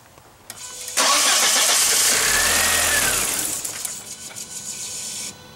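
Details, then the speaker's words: 1999 VW Passat 1.8L turbo starting with 50 psi fuel pressure: fires and revs briefly, runs about two seconds then sags and dies despite pedal, faint hum after; cause found to be faulty mass airflow sensor. "so that's what it does just runs for a few seconds once it starts trying to push the foot pedal and keep it running"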